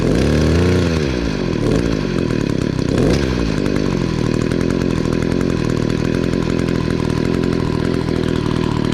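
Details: Echo SRM-266 two-stroke string trimmer after carburetor replacement (it had kept bogging down): quick rev up, then a steady high buzz that holds without bogging or stumbling; running strong.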